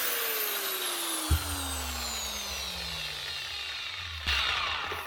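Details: 2009 Metabo WHR 115 4.5-inch angle grinder after fitting a new lead and reusing the old plug: it spins up with a clean, even whine and winds down smoothly, with no rattle or grinding; running healthy.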